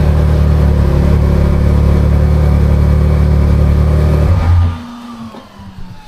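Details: Can-Am Maverick R with DCT transmission, about 2,000 miles, idling after transmission magnet change, before any DCT relearn, after shifting drive, reverse, park; seems good. Steady, even low hum with smooth firing beat, then clean shutdown; no roughness.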